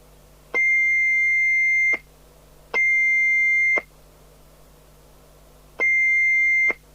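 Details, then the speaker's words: Interceptor TC300 UK FM CB radio whose SWR alarm and thyristor cutoff preset had been removed, on an extension speaker, after switching off and on: three steady high beeps of about a second with uneven gaps, and the set doesn't transmit; cause not confirmed. "wasn't transmitting was it the radio doesn't actually transmit"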